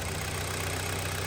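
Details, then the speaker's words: Kia Sportage 3, 2012, one owner, 175,000 km, knocking reported from 155,000, oil 5W30 changed every 7,500–8,000: a warm idle, steady and even with a low drone and no knocks, though the engine has cylinder scoring. "так слушаем мотор это там Рома стучит никаких лишних стуков и звуков нету"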